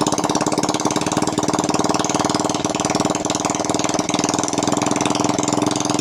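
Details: Honda Karisma (Supra X125-type engine) that smoked heavily despite a good piston, after the clogged oil-ring holes were cleaned and a new ring fitted; run without the exhaust to confirm it no longer smokes. Loud open-pipe popping at a steady, even idle with no misses or knocks; normal idle.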